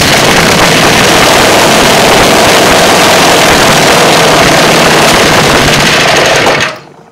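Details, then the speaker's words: Seven-horsepower Tecumseh single-cylinder engine, formerly submerged and seized, freed up, valve job done, electric start, carburettor not yet tuned: loud rapid crackling exhaust, steady and strong, a little rich, then shut off; solid-sounding engine. "but yeah it's a solid sounding engine this engine was froze up"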